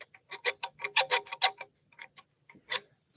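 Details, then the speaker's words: Colson bicycle fork assembly: short, sharp, high-pitched chirps in uneven bursts as the bolt turns; threads are too dry, need greasing before continuing. "you gotta stop and grease things and check threads and stuff like that that sound that dry sound that's a No-No"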